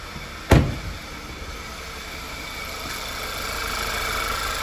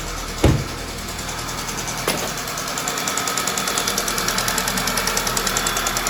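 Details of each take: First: Rebuilt Audi/VW 2.0T TFSI engine (B8) after repair of a ticking/tapping noise: after one brief thump, the engine settles into a soft, even hum with no ticking or tapping. It is purring like a kitten, smooth and healthy at idle. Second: Freshly rebuilt Audi/VW 2.0T TFSI (B8) at idle: sharp even tick about three per second, louder than normal. It seems to come from the intake camshaft area and almost sounds like an exhaust leak at the injector; cause unconfirmed.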